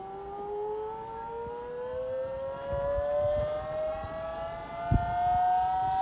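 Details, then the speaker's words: Vauxhall electric power steering pump fitted to Metro 6R4 replica, first power-up: delays a few seconds, then a clean whine climbs steadily in pitch and holds smooth, no grinding or cavitation; working properly. "They don't start up straight away, and this one's a bit weird. It sort of takes a bit of time to start up, so... And spin up."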